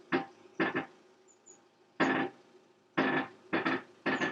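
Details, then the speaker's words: Motorhome with a newly fitted VB full air suspension lowering from auto-level to natural ride height: short bursts of dry creaking and clicking as the chassis settles and moves on its axle. Normal chassis creak. "very good so you can hear the creaking sound there that's the chassis and the bits all moving around I think"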